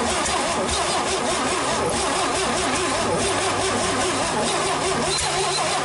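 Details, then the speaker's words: GMC 305 V6, first start in years, vacuum advance port plugged: long cranking that catches unevenly and stumbles instead of idling; ignition timing appears far out. "I think somebody's got this thing out of time so we're gonna run the phone over here real quick"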